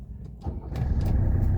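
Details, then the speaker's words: 1985 Mercedes 300SD (5-cylinder turbo diesel), freshly finished with idle just adjusted, started after the glow plug light: brief crank, catches straight away and settles into a steady, even low clatter: normal start. "there we go fires right up I've adjusted the engine idle I got it pretty much where I want it"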